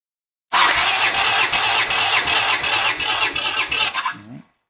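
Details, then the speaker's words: 1982 Honda GL500 twin during compression test, about 150 on both cylinders: the starter spins it with a steady chug of about two even compression strokes a second, no misses; normal cranking compression. "we got 150 good all right and here is the right cylinder [Music] good for at 150 on both cylinders it's pretty doggone good"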